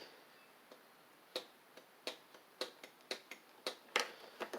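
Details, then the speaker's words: Husqvarna Z4822 zero-turn mower, long stored: sharp irregular clicks from relays, carburetor fuel solenoid and safety switch at key-on, but no cranking; crossing the starter solenoid terminals does work. "When I turn the switch, I hear relays clicking and stuff, and the solenoid working in the carburetor."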